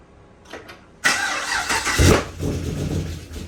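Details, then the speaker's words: SSV engine after a CNC cylinder head swap and new 160°F (71°C) thermostat, first start-up: starter whirs about a second, catches, settles to steady idle with one brief blip; normal start. "Engine is all dressed up. We're about to start it up for the first time."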